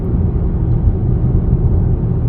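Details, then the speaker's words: New Audi A6 (C8) on the highway, after sound-deadening and buzz/squeak/rattle treatment, recorded inside the cabin: even low road rumble with no panel buzzing or rattling; interior quiet. "지금 여기 여기 소리 나는 것도 양호 하죠 여기 여기는 거의 이제 안 나는 거"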